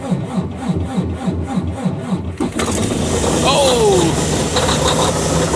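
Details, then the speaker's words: Freightliner DD15 diesel semi, cold start at about -10° after -17° night: slow rhythmic cranking about three and a half turns a second, then catches and settles into a steady rumble; starts normally despite the cold. "so I'm going to let this thing run for 10 20 30 minutes run to the post office come back and see if she's still running but she's purring like a k kitten right now ain't"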